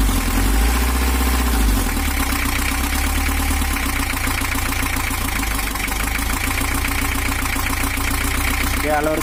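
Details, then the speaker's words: 1982 Toyota HiAce LH11 diesel in for overheating and rough running; after camshaft timing reset to valve top position, diesel clatter settles into an even idle with no misses or knocks, smooth but still not fully right (worn injection pump, warped head). "suaranya Udah halus tapi ada yang kurang kita cari lagi"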